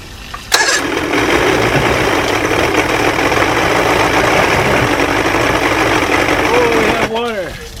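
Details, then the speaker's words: Boat outboard just fitted with a new water pump, running in a bucket of water on a rich oil-gas mix: fires and runs several seconds with a loud, uneven drone that never settles. Water pump confirmed working. Finding: rough running. "Of course it's not running like it should. However, this does mean that I installed the water pump correctly."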